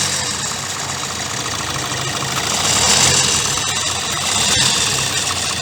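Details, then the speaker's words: 2016 Kia Sportage 1.7 CRDI diesel, fully warmed, idling with the hood open and the phone close to the engine. A busy metallic timing-chain rattle sits over the clatter, steady with engine speed. It persisted after the accessory belt and pulley were replaced and has worsened over time. "today i will show you the noise from the timing chain the noise that actually the timing chain is doing"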